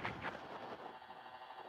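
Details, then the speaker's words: Inovato Quadra computer with HDMI cable plugged in: its power supply causes radio frequency interference, sharp pops and crackles over steady radio hiss that worsen as the machine works; changing the power cable removes the noise. "so you see it popping up and this only happens when the HDMI cable is plugged in"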